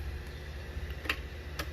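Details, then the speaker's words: 2020 Polaris Scrambler XP 1000 in neutral with a full tank: sharp clicks about half a second apart from the starting system, and the engine never turns over; owner suspects the starter solenoid or another solenoid, not confirmed. "but of course it's doing the clicking noise so if i go get up on here let me show you the clicking noise it does it's on"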